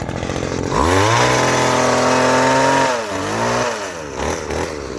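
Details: Vintage 1990s Weed Eater GHT-22 two-stroke hedge trimmer, 22-inch cutter, revived after fuel line and filter work and fresh fuel: pops into life, high buzzing rev, clean blips. Normal running.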